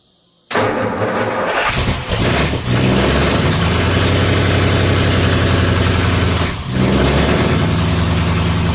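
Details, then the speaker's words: Holley Sniper 2 EFI engine, after setting top dead centre with the balancer mark and turning the distributor clockwise: short crank, clean catch, steady even idle with no backfiring; timing sounds much better, idle thought to be set too high. "Supposed to do that, but timing sounds way better. It's not backfiring, it's not doing any of that stuff, so that's good."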